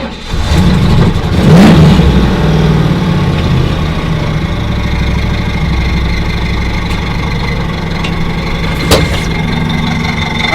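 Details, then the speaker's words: Ford Thunderbird drift car on its first start since last season with a newly fitted belt. Fast idle with a gritty, very loud scraping rub as the aluminium pulley hits the crank pulley, slowly self-clearing. "very, very loud, too. Yeah. It's kind of pissed. Yeah, it's slowly clearing itself. All the aluminum in that pulley."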